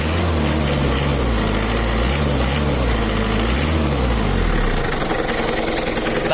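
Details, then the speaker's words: Mitsubishi Kuda diesel (4D56) with complaints of rough, limping idle, low power, slight overheating and oil leaks: a loud diesel idle with an uneven knock running through it. The suspected cause is a loose crankshaft pulley wobbling on its bolt. "menurut analisa saya yang bunyi itu dipukuli askruk karena putrinya itu goyang-goyang nggak stabil"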